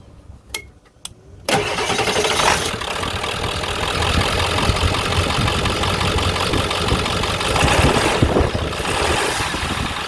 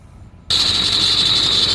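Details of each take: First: 1998–2003 Ford F250/F350 7.3L diesel after belt tensioner replacement: cranks, catches and settles into even clattering idle with the earlier belt squeal gone, then shuts off. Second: 1998–2003 Ford F250/F350 7.3L diesel idling with a loud high-pitched squeal from either the belt tensioner or the idler pulley; the belt tensioner assembly was replaced with a Gates 38191.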